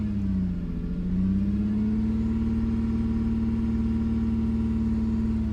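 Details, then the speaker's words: 2005 Lexus ES 330 recorded outside, with a rough idle: a deep, loud exhaust drone from the rear that swells and climbs in pitch with throttle; the car drives sluggishly with no warning light; owner was told one catalytic converter is the cause, unconfirmed. "it still have that sound and as I actually placed the gas more the sound actually goes I"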